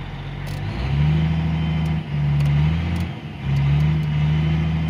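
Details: Caterpillar 345 excavator diesel after ECM replacement and harness repair for intermittent up-and-down engine acceleration (error 36-268-2, intake boost pressure sensor); deep rumble rising and settling smoothly through throttle swells, no hunting; no error codes, runs normally.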